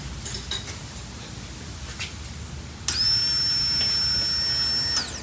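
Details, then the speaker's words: Pontiac Fiero parked for 30 years, new fuel pump and sending unit temporarily connected, key-on: quiet, steady high whine for about two seconds then stops; normal fuel pump priming. "yeah awesome all right cool sounds like it's working it's not real loud pretty quiet hopefully it's doing its thing"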